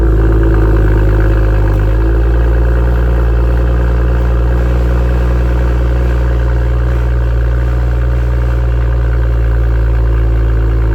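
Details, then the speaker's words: BMW M2 with M Performance exhaust, cold start at high idle: a loud deep drone with a buzzing rattle, the exhaust visibly vibrating for about 10 to 15 seconds and settling slightly as revs drop. "for some reason the m performance exhaust heavily vibrates for about 10 to 15 seconds during a cold start and it produces its vibrating noise as you can hear you can even see it and hear it on the outside"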